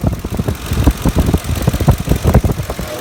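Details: 2006 Ford F-150, warm after about 45 minutes of driving, about 109 degrees outside, idling near 625 rpm and visibly shaking: low, lumpy idle with uneven thumps and surges; rough idle, cause unknown.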